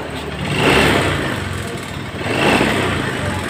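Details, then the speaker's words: 2015 Honda Scoopy scooter engine very rough: coarse mechanical clatter swells with each rev; mechanic suspects the piston. "ini membawa masalah suara mesin sangat-sangat kasar sekali ya"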